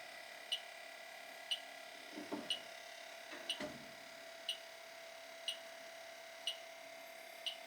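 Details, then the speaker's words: Old Carrier AC unit whose outdoor fan cycles on and off; system nearly empty of freon with low pressure. A refrigerant leak detector gives a sharp, steady beep about once a second over a quiet hum at a leaking evaporator coil. "you've got a major league somewhere here guy major league evaporator coils leaking not much freon in it now but it's it's pretty much empty but definitely got a leak here i can hear it can hear a beeping"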